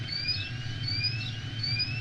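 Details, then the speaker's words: Dresser-sized metal box beside a brick building in Louisville's NuLu, quietly beeping for years for no known reason: a high, thin chirping tone sweeps and repeats about every 0.8 seconds over low street hum. Periodic beeping alarm. "It's a metal box about the size of a dresser or maybe a deep freezer, but a little taller. And it makes this sound."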